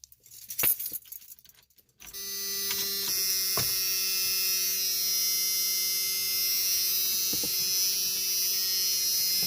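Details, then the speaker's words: 1985 Chevrolet S10, heater blower motor before replacement: a switch clicks, then a steady piercing high squeal with low hum on any fan speed setting; worn-out blower motor. "he blower motor is shot and I mean so bad that it screams uh when you go to turn it on doesn't matter if it's on the lower setting or the highest or the medium it will just sit there and scream the whole time it sounds awful"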